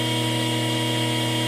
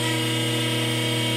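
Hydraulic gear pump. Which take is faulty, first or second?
first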